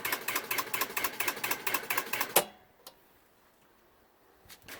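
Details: New 1 hp cast-iron booster pump: fast even clatter about two per second from the pressure switch as the tank reaches pressure, then cutoff; chattering switch (short cycling) said to be from a long sensing line, before the rewire.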